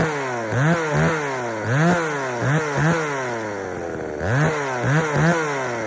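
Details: Poulan 3000 chainsaw, brought in not running, serviced with old dirty fuel drained and fresh fuel added; revs up and drops back repeatedly, a little burbly and slow to clean up at low speed, mixture slightly rich, low speed to be adjusted.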